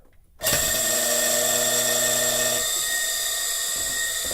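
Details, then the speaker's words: 1 HP Baldor electric motor before rebuild, its bearing grease long gone: a harsh, high-pitched squealing whine runs steadily once spun up and the motor coasts long after shutoff; dry, worn bearings needing replacement. "I'm gonna show you what it sounds like when it's running this has bad bearings in it that the grease and the grease in these bearings left the room long ago so it's pretty squeaky pretty noisy"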